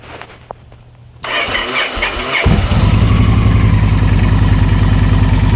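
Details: 2009 Victory Vision that sometimes won't start in neutral unless the clutch is squeezed, started with the clutch in: starter clicks and whirs about a second, then catches cleanly into an even loping idle. Neutral switch/ground or starter solenoid coil suspected.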